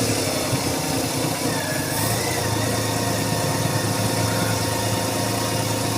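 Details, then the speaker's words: Renault Kwid petrol after refitting the intake manifold to fix a vacuum leak (code DF1058): even, low, steady idle hum; previously RPM rose and fell, then the engine stalled, with a warning light on. "अब बिल्कुल silent हो गया। पहले handing type कर रही थी। Race कम ज्यादा हो जाती थी। बंद हो जाती थी।"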